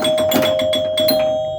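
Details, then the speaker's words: Joker Poker pinball machine after restoration (switches cleaned, flipper coil sleeves, relay coil repaired), glass off and coin door open: six or so bright ringing chime strikes in quick succession, clear and sustained; chimes working normally. "the chimes are super loud because I've got the class off and the coin door open"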